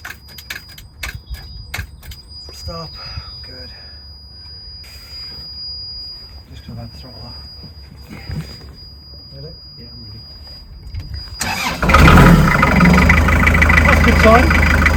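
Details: Narrowboat diesel, dead about two months after core plug failures, first start after in-situ engine lift and repair: quiet clicks, then cranks and catches with a loud, steady, even rumble; clean healthy start. Oil shows some white, needing further oil changes.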